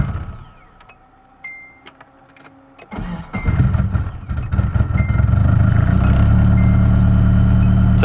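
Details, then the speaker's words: Nissan 240SX with a jumpered automatic ECU: quiet ticking and several weak tries before it catches after about three seconds and idles steadily; a failing battery is suspected but untested. "couple tries but it's on i have a feeling my battery might be going bad but i gotta test it"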